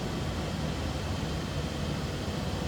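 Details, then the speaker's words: 1981 Ford Econoline van, 4.9 L inline-six, automatic, 108,790 miles, heard at the tailpipe from behind. Steady, even low idle rumble with no misses or puffs. Running smooth. "I'd say what you'd expect. Nothing crazy with the exhaust, just a inline 6-cylinder, running smooth."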